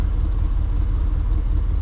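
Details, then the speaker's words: 2001 Dodge Ram gas truck warmed up, at about 40 degrees, idling nice and smooth as it normally does: a low, steady rumble with an even pulse and no stumbles; new IAC valve fitted, manifold and rear exhaust leaks present. "she's actually idling really nice and smooth like she normally does and that's where she should idle around and we got some temperature on it"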